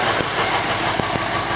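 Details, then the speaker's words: 1951 Ford engine at rough idle: a hissy scraping scrubbing with irregular ticks persists with the belt off. It seems not to come from the rear or the oil pan and is loudest at one spot. Something rubbing inside; source unknown. "And it doesn't sound like it's back here, it doesn't sound like it's in the oil pan."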